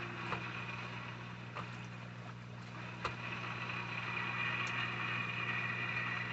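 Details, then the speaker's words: Temporary Vevor 660 GPH canister filter with UV lamp on a 125-gallon aquarium, just started up to replace a Sunsun HW-3000 whose O-ring failed: steady pump hum under rising hiss with gurgles and pops, trapped air purging as flow picks up. "It's starting to flow more now. Still pushing a lot of air out. Still pushing the air out, as you can hear it."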